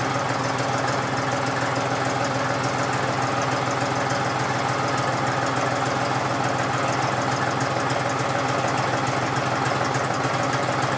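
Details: John Deere 5103 diesel tractor, cold start at about 29-30°F after sitting a few days unstarted; steady, even clatter with quick regular beat, no misses, cold engine idling smoothly after starting.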